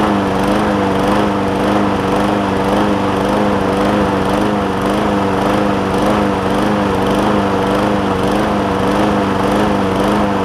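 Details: John Deere JA60 push mower with a replacement tank, new fuel line and cleaned carb, at raised throttle: the engine hunts about twice a second, pitch rising and falling unevenly. Lean surge; debris is suspected in a carb jet.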